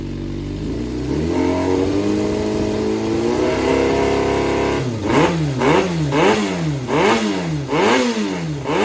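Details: Yamaha XJR400 (4HM, early model) running engine assembly on start-up check, high compression, no abnormal noise or white smoke: smooth, even four-cylinder idle, then clean blips rising and falling freely; healthy engine.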